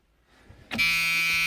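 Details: White 6125 tractor that stopped charging, started after alternator repair and belt refit: steady high buzzer comes on as the engine fires and holds, warning it still isn't charging; shorted stator windings suspected, not confirmed.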